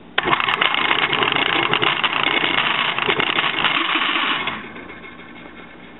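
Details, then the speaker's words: Washing machine motor bench-tested by wiring parts together, no capacitor fitted: harsh rattling roar with uneven rapid chatter instead of a smooth spin; motor is gone, transmission probably not the problem. "sound too good though wow sounds horrible well there's the problem motor's gone this motor's not it should be spinning smooth"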